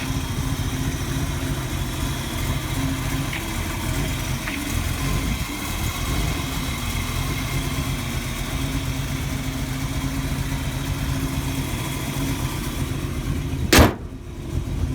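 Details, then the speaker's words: 1948 Mercury coupe V8, idling under the hood as it warms: deep, even, lumpy rumble with no knocks or ticks, one short clack near the end. Owner notes slightly rich running with a little black smoke. Normal idle. "but Again, it's got a good sound to it. Again, not overbearing."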